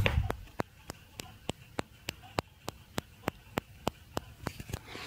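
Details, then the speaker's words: Ultrasonic traffic-light garage parking sensor, working normally: sharp even ticks about three per second in a quiet room, steady and unchanging, as it pulses; pattern changes after about half a minute without motion to save battery. "like tick, tick, tick, tick, tick, about 3 times per second. So it seems to be working in pulses."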